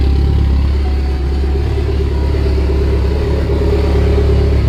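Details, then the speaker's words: Mitsubishi Evo 8 idling after a new serpentine belt, pulleys and tensioner (the old tensioner pulley was floppy): smooth, steady idle with no squeal, chirp or rattle from the front of the engine; the belt drive runs quiet. "Heck yes, not a single noise. Perfect. New belt is on. New pulleys are on, new tensioners on."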